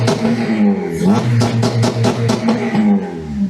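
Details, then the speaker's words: Supercharged Ecutek-mapped FN2 Honda Civic Type R, warm, after thermostat swap, no longer overheating: revs rise in quick bursts then flatten and stutter at a low ceiling; owner suspects a launch-control-type rev limit. "I also tried to rev it up. I think it's got some like launch control thing on it, because it just does this."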